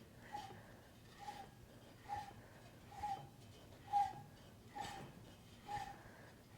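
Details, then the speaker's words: Toyota 1UZ-FE V8 for a Celica drift build, bottom end refreshed with King Racing bearings, ARP main studs and rod bolts, turned by hand: soft, evenly spaced compression whooshes, no scraping or knocking; rolls freely with normal compression. "Let's see how this thing turns. Beautiful. You can actually hear the compression just by hand."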